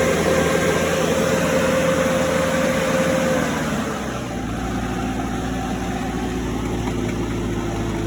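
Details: Cummins 3.3 QSB diesel from a stump grinder, started after rebuild with pistons, rings, rod and main bearings and head gasket (had oil from the blow-by tube), Insight connected: starts, settles to steady, even idle, faint turbo whistle fading, no knocks. Normal idle.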